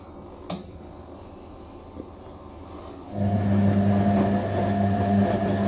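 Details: Hoover A3060 Electronic 1100 washing machine during the delicate dilution rinse: quiet drum sounds, then a steady low groaning hum starts and holds, the timer motor working normally.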